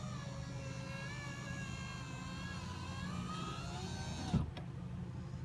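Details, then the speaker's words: 2005 Honda Civic Hybrid driver's power window, door panel off: smooth motor whir rising slightly, soft clunk at bottom; the glass now goes fully down, even on auto. It had stopped partway, apparently from a deteriorating foam block on the panel. "but it goes down all the way down even on the automatic setting"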